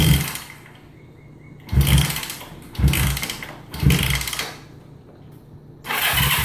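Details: 1971 Honda CB350 motorcycle: four short bursts of even starter cranking with pauses; engine turns over but never catches or fires, won't start.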